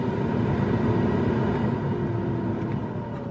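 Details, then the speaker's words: 2002 Dodge Ram 1500 with the 4.7, after replacing the blower motor and blower resistor (the complaint was that the blower only worked on high). Stepping through the speeds to high, a steady, even whoosh and smooth hum with no rubbing or ticking; normal. "next then High notice how smooth that sounds notice the sound of it that's how it's supposed to sound"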